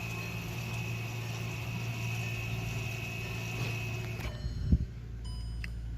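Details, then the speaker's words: 2013 Volkswagen CC, ignition on with engine off, scan tool releasing the rear electric parking brake for pad replacement: steady electric whir at a constant high tone for about four seconds, then it stops; parking brake motor retracting normally. "okay so we went ahead and hit continue we're going replacement of brake pads inter as you can hear that's the electrical parking brake"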